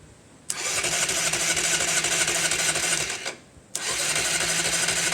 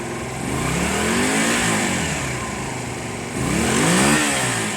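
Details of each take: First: Honda CB250 cafe racer on a 112 main jet, unstarted for a couple of weeks, battery condition unknown: two roughly three-second cranking bursts of churning whir that never catch; it sounds like no fuel, but it actually just needed choke. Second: Honda CB250 cafe racer on a 112 main jet, running on choke: two clean throttle blips with pitch climbing and falling smoothly, no hesitation at all, suggesting these carbs could be the fix.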